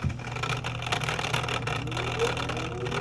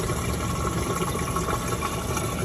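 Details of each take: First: LG direct-drive washer that won't drain, in diagnostic mode with door locked and drain pump engaged: rough buzzy hum with thin whine climbing in pitch; pump housing already opened and empty, so the drain pump is bad. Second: LG direct drive washer with a no-drain complaint, after drain pump repair, running a drain cycle with drum full of water: even low pump hum and steady rushing water, no grinding; draining normally.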